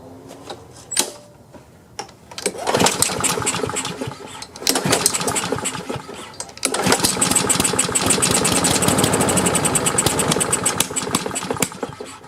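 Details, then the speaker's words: Free Craftsman self-propelled push mower, before repair, with a very dirty air filter, pulled on choke: repeated pulls catch with ragged, uneven bursts that stumble and fade; fuel starvation, needs carburetor cleaning. "Well, it was trying. Choke back on. Alright. Well, it's cranking. It looks like it just needs a little carburetor cleaning."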